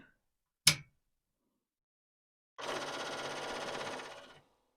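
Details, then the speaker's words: Commodore 4040 dual 5¼-inch IEEE floppy drive at power-up: sharp single bang then busy rattling chatter for about two seconds as heads bang against stops, a good sign; drive zero appears not to spin. "okay heads are banging that's a good but I don't believe I'm going to watch carefully again"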